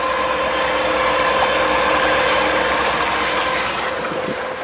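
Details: Homebuilt electric outboard converted from a gasoline motor, running at full power about 4.2 knots, drawing 59 amps at 24 volts. A quiet, even whir with a faint steady whine over water splash and no knocks or grinding; running normally.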